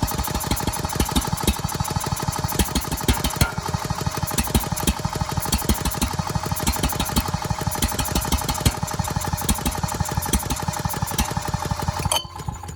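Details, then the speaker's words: Ridgid 5700 generator with freed, previously seized Yamaha MZ300 engine, spun with a drill: fast even spin-over with a soft chuff each turn, never fires; not enough compression, later traced to a leaking exhaust valve. "So that is a no-go. The engine will not start, not enough compression."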